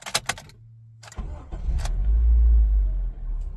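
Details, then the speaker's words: 2007 Honda Civic that had cylinder 2 misfire (P0302) and P0420 codes, restarted after repair with engine light out: key clicks, brief crank, catches quickly and settles into a smooth, even idle. "starting up smoothly engine light is out perfect perfect perfect"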